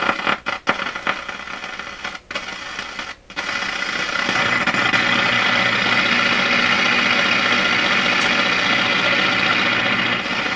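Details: Florida AM/FM/SW tube radio on AM band after replacing an open resistor in the audio preamp plate circuit: sharp crackles and dropouts while tuning, then static hiss; AM tuning capacitor plates shorting near full mesh.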